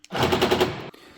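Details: Mercedes-Benz B-Class door not closing, cover pressing the lock rod against the door body: quick burst of sharp clicking, about ten per second for half a second, lock actuator cycling repeatedly as the rod binds; fix is bending the rod slightly.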